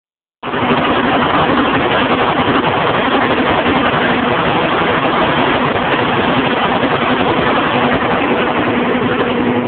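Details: John Deere 7220 tractor, 6.8L PowerTech diesel, about 2400 hours, PQ transmission, ULSD fuel: steady drone with an uneven, stumbling beat. Injectors and compression checked OK, so the misfire was traced to a faulty injection pump, replaced under warranty.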